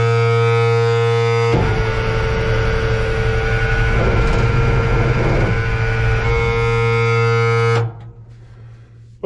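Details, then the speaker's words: M35A2 military diesel truck after sitting long, cranking on ether with old poor-looking fuel: steady starter drone with a few weak firings, no sustained running; owner suspects old diesel not getting through the system; cranking with occasional firing. "I heard it make a couple little firing uh put add a little more ether it may not run if I can't get the old diesel fuel to get through the system"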